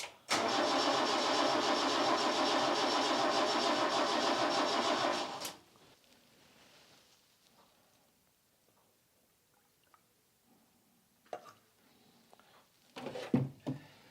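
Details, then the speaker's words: Chevette barn find, sat ten years, cranking: even starter cranking about three and a half beats a second for five seconds, never catches; coil connected, owner suspects fuel issue. "Okay, something changed. If you heard that note change. Coil's definitely connected. I think it is just a fuel issue."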